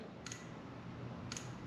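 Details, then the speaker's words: 2011 Honda CBR250R with 7,500 miles, long unused, with its fuel injector bench-tested by tapping 12 V across its terminals. Two crisp clicks about a second apart show the injector pulsing and working, though it is likely gummed up. "That's injector pulse. That injector, it's probably all gummed up, but if we can get fuel to start passing through it, uh, it'll probably clean itself out."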